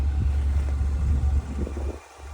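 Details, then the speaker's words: 2014 Chevrolet Malibu at auction: very soft, even low hum with no misses, knocks or ticks, so quiet it hardly seems running; normal idle. "Folks, that thing is still running. It's as quiet as you're going to get on this one. I didn't even realize it was running. It's that quiet."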